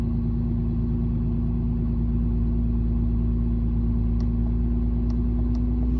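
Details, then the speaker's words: 2017 Ram 2500 6.7 diesel, about 84,000 miles, heard inside near brake pedal: steady low whine/grind over idle, not audible at engine; power steering pressure hose from hydroboost to pump, after dealer wrongly replaced hydroboost. "All right, so hopefully you guys could hear that, that noise that was coming down by the brake pedal."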